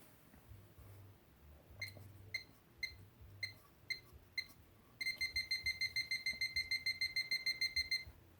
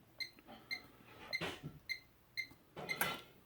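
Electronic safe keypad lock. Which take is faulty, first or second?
first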